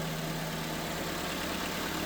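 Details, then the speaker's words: 1999 Nissan Altima engine after the alternator was replaced for a grinding noise and new belts were fitted; a steady, even idle with a smooth low hum and no grinding, squeal or ticking. "And as you guys can see, no more noise. No more noise, man. New alternator, brand new belts. No noise at all."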